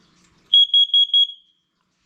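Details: Hallway downstairs carbon monoxide detector during a monthly alarm test: four quick, even, crisp high beeps on pressing test; the CO alarm is sounding normally.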